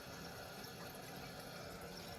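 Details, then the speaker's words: Hydronic boiler heating loop being bled through a bypass on variable well-water pressure while replacing the automatic air vent: steady rushing flow with a bubbly, gurgling texture, indicating trapped air in the pipes. "I can even hear it, maybe. I think they're gurgling there."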